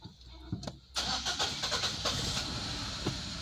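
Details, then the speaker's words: 2017 Nissan X-Trail (T32, non-hybrid) with check engine light, recently given new plugs and coils: a few hesitant cranks, then a busy, slightly uneven rough idle; hard start, cause not pinned down (crankshaft sensor code P0335 suspected). "the initially is getting a high start check engine light is on I feel like it's a heavy heavy like rough idle"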